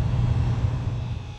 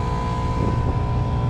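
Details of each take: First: Heat pump with Copeland compressor, 208 V supply, equalized about 132 psi, 74°F suction line: low heavy compressor hum sags and winds down within a second and a half as the breaker trips again; grounded compressor suspected, megger-tested. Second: Packaged water source heat pump, the companion unit (one is R410A, one R22) left running while the other's bad Copeland compressor trips the breaker: steady, even low hum with a faint constant tone, no knocks or rattles; running normally.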